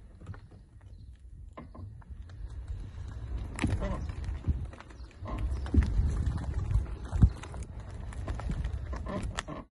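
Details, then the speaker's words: 2019 Tesla Model 3 Performance, front driver's side: irregular creaks and knocks over bumps and dropped kerbs from the upper control arm ball joint; a redesigned upper control arm can be fitted free under warranty. "As you can hear there the creek when you go over bumps and what have you is the upper control arm that's causing the squeaking and it can be from two places really"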